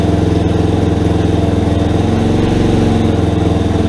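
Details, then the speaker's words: Rebuilt Yamaha Warrior ATV single-cylinder, cleaned carburetor, idle screw two turns in, first start, not yet broken in: steady, even putter at about three and a half beats a second, no ticks or misses; normal idle. "holy crap guys she's running it sounds pretty good oh i gotta mess with that idol a little bit more but man guys this sounds really good"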